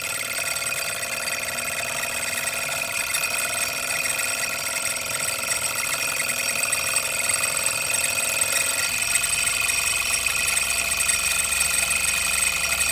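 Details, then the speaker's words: Single-cylinder Stirling engine generator kit from stirlingkit, trying to charge a salvaged battery: steady high-pitched squeal with shrill tones over light running; owner thinks lubrication could help, suspected dry binding, unconfirmed. "one last test let's see if we can charge up that battery that we salvaged on a previous video you can hear it though it's so squeaky"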